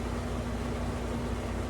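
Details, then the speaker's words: Window AC unit after cleaning, dirt dauber nest removed from the fan blade: constant low hum, steady faint tone, no rattle or wobble; vibration gone, running smooth and balanced. "I don't know if y'all can tell, but this air conditioner's running smooth now. It ain't vibrating. That's all because of that dirt dauber nest on that fan blade was what causing it to do this."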